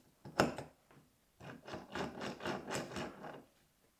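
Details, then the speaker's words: Vitavon differential being shimmed for a 30° North, turned by hand with a shim fitted to push the diff toward the pinion: uneven raspy rubbing in bursts; ring and pinion mesh too tight, shimmed too hard. "Et en fait le problème c'est que si je mets un une cale ici euh ça frotte trop. Euh si je la mets ici, c'est pas trop mal, moi je trouve."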